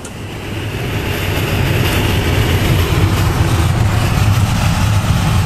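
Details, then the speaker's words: Winnebago Lesharo (Renault-based van) driving after black electrical tape covered the front window lip on both sides: only low steady road rumble building with speed, no whistle or wind from front windows; quiet ride, wind noise fixed. "that little thing right there just covering the lip the front edge of the window made all the difference in the world on both sides the ride was so much quieter"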